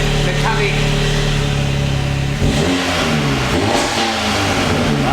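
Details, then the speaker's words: Audi S3 (EA888) with a Stone valvetronic catback exhaust, after reassembly following coolant and water pump work: the engine idles steadily and picks up cleanly on several throttle blips with no knocks, rattles or misfires. It sounds healthy. "yes please tell me that worked i fixed"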